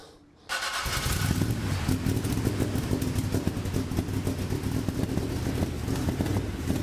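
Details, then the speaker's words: 1975 Chevrolet Corvette Stingray V8 on race gas, unknown carburetor from the attic: catches into an uneven, stumbling idle; suspected carburetor and clearly off timing, not confirmed; rough idle. "I got to take a break from the the race car thing and use my real brain. Try to figure out why this thing isn't running that great."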